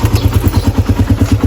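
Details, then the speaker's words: Raider 150 carb single-cylinder motorcycle before oil change: steady clattery tapping at idle, about eight or nine beats a second, from the top end; noise goes away when warm; cause unconfirmed. Top-end ticking. "Pero pag uminit na siya, nawawala. Mas malakas. Ito medyo okay pa, pero may problema na rin to."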